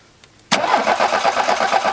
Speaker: tell you've got a lot of electricity the battery strong it's turning over quickly that sounds pretty normal you should be pretty happy with that